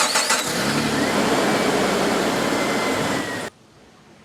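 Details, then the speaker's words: 2000 Jeep Cherokee XJ after starter replacement, with a battery possibly run down by the failed starter: short crank, then the engine catches cleanly and settles into a steady, even run; starting is normal. "sounds a hell of a lot better i'm going to say mission accomplished"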